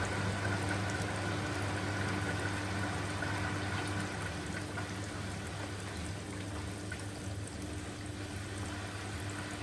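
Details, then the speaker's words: Washing machine in a shed on a temporary plumbing setup, draining just before the final spin. A steady, low pump hum with water gushing and splashing, even and unbroken: a normal drain pump-out. "Once it's finished draining, I'll turn it off and show you this main part here. But it's about to go on to final spin anyway."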